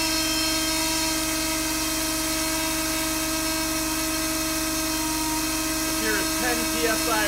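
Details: Steering pump on dyno at high rpm with pressurized reservoir: steady high-pitched pump and motor whine without the gurgling hiss of cavitation; pump running clean.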